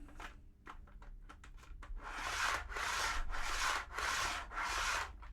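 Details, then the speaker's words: TT120 model railway, track glued with Copydex to cork and cork to foam, wagon rolled back and forth: five loud hollow half-second roars, very noisy; any track stuck to foam gets amplified. "they've all had the same result as soon as you stick that track to that foam that foam amplifies the sound"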